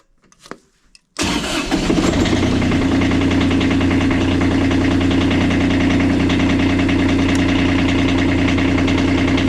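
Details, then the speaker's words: Kubota D905 diesel in a Lincoln Ranger 300 welder, cold start on a chilly day after extra glow-plug time: quick crank, catches cleanly and settles into an even diesel clatter with no misses. New battery terminals fitted and alternator charging; this is a normal start and idle. "got the battery with new terminals hooked up it's running good alternator charging we can actually start and stop the engine from the main panel which is excellent"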